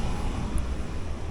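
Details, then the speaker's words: Furnace blower after replacing the blower wheel; motor mounts, rubber and motor bearings found fine, no play: smooth even low rumble, no knocking, scraping or wobble; normal blower operation. "Motor mounts are fine. The rubber's not cracked. The motor spins fine. It's not wobbly. No play in it. It's fine."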